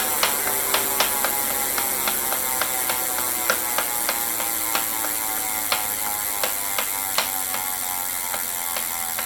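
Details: Elite Direto smart trainer: sharp, uneven clicks and knocks, about three a second, over a smooth flywheel whine slowly dropping in pitch.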